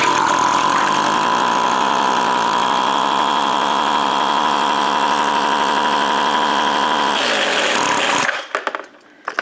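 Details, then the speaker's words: Stihl BG55 two-stroke leaf blower that won't rev: a raspy, steady buzz that then bogs and dies. It runs only with the air filter out, and a carbon-clogged muffler is suspected. "sounds like the engine's running inside it like the exhaust is not coming out of it uh this could be your problem but when you crank something over and you don't really hear like the compression escaping the [Music] exhaust it's trying to run like it only run early with the air filter out cuz it's trying to flood out"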